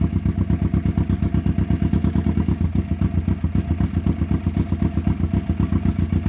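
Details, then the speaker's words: 1991 Kawasaki EN500 twin after fitting replacement pickup coils (new ones had been out of range, throwing off ignition timing and causing stumbling): steady, even idle thump about four beats a second, no misses; normal idle. "And now you can hear uh we've got that sorted. So that's phenomenal."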